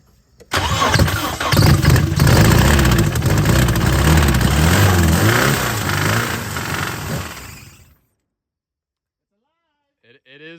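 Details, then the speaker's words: Nissan 240 with new headers, first start on starting fluid with throttle partly open: catches and runs roughly about seven seconds then dies, not on its own fuel system; heavy shaking from wrecked motor mounts, smoke from the rear. "running on starting fluid, but the motor mounts are wrecked, dude. That whole thing was shaking like no other. A damn leaf in a storm."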